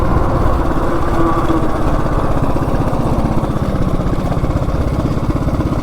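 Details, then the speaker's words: Coleman CT200U-EX minibike with a 420cc big block swap, straight-chain clutch and 40 sprocket, on a road test: strong, even single-cylinder thumping under load with no misses or rattles. Engine healthy and torquey; clutch smell noted. "Yeah, the engine runs really good. But I can smell that clutch. It does not like it."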